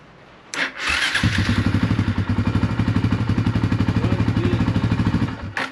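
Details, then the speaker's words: 1999 Suzuki DR350SE, long-sitting, with a new Heomaito AGM battery fitted: brisk, even starter chug about four turns a second staying strong for four seconds; spins right over, seemingly good cold cranking amps. "Man, it spun that thing right over. Um seems like it's got good, you know, cold cranking amps."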